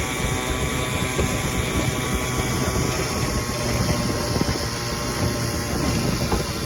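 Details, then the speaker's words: 1957 Evinrude 7.5 HP outboard on lake test run without hood, after carb jets and manifold were cleaned and a two-line fuel system problem fixed: steady buzzing two-stroke drone, even pace, no misses or surging, running properly. "cleaned out the Jets inside the carb manifold and she runs good now but running about 30 minutes"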